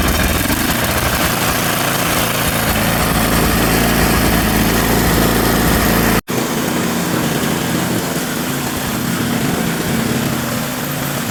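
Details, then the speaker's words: Used small-engine mower with rotten fuel lines, first start attempt: rough, uneven firing about four pulses a second with ragged beat; owner thinks it needs a tune-up and new gas lines. "So it sounds like it just needs a tune-up and new gas lines."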